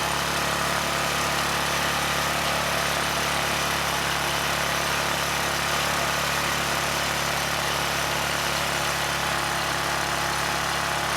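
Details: ETQ 2700-watt generator with brushless powerhead, after carburetor work keeping the original jetting: high, steady, buzzy drone with no surging, 70 Hz with no load, still running fast with governor spring tension fully backed off; overspeed from misadjusted governor.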